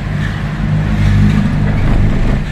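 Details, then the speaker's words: Mitsubishi Xpander driven over a rough road and humps after an under-chassis repair for a clunking noise over bumps: steady engine and tyre rumble, no knocks or clunks from underneath; the customer says the noise is gone. "Narinig nyo, sabi niya, nawala daw yung ingay."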